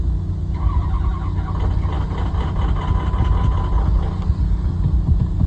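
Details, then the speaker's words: 2006 Ford 6.0 diesel, 67,000 miles, cold start after glow plugs, with throttle: steady low churning crank that never catches; cranks but won't start. "Did 67,000 on this thing, it won't start."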